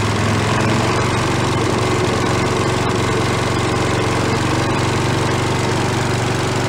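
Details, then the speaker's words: Giant Vac walk-behind leaf blower, probably late 1970s/early 1980s, bought worn from a garage sale, primed from a bottle: loud, steady high-speed buzz at full throttle, no surging or misfiring; normal running. It has no idle circuit. "I'm gonna prime it a little bit with a bottle this might get a little winged we are let's go for a little under full throttle T oh it goes"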